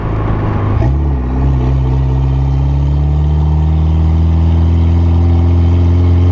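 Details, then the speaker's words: Mitsubishi Evo that squealed as its brakes warmed up, after a sandpaper fix: on a drive, smooth engine pull and road hum with no squeal while slowing. The brakes are quiet. "so just took the car for drive and by the sounds of it we got it fixed looks pretty awesome"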